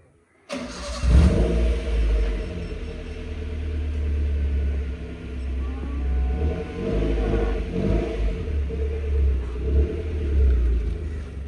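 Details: Modified Maruti Suzuki Zen after a major service for a no-start complaint, misfire, head leak and wiring faults, with new oil and front pads: it cranks briefly, fires at once, revs cleanly and settles to a smooth, even run; normal start.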